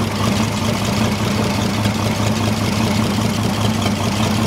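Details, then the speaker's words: Holden 202 petrol six-cylinder repowering a Caterpillar D2 crawler, first run in about 12 years, two-stroke oil added to the fuel: steady, even idle with a firm low hum, no stumbles or knocks; normal idle, running better than ever. "listen to that I don't even think ever run that good when we put it in here"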